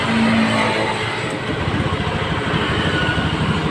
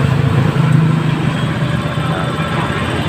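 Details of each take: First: Honda Scoopy FI scooter with severe misfire and no power: engine runs rough and stumbles under throttle; fuel pressure drops to about 18–20 PSI when running versus about 40 expected, suspected weak fuel pump. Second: Honda Scoopy FI scooter, previously sputtering and lacking power, after fitting a new fuel pump with good pressure: steady, even engine hum with a firm low note and no stumbling or sputter; running normally.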